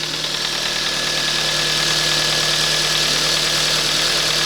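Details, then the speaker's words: Kia Ceed 2007 1.6 petrol, 150,000 km, running after intake cam phaser replacement and loosening an overtightened alternator belt: even, smooth idle with only a light valve tick, clearances in tolerance; earlier cold-engine top-end noise gone. "тихенько тут там можливо чути трішки клапанці Ну зазори там в допусках"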